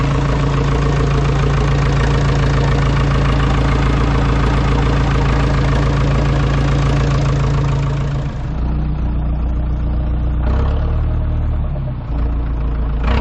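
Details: Ford 2701E 240 cu in four-cylinder diesel on a grapple log loader, sitting since 2005/2006 with 15-year-old fuel, after starting: steady, even clatter at idle, about four beats per second, no misses; normal idle.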